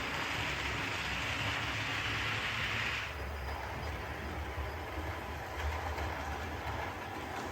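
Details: Light rumble and fast rail clatter with no squeal or stutter: OO gauge 'Schools' loco and coaches running smoothly after coach wheels were cleaned, checked for a wobble and drawbar coupling fault; normal running.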